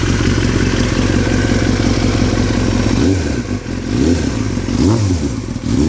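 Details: 2003 Yamaha R6 revving, rattling since a recent trip to Europe: irregular metallic clatter loudest on blips; owner unsure if normal or if performance is affected; engine rattle, source not confirmed.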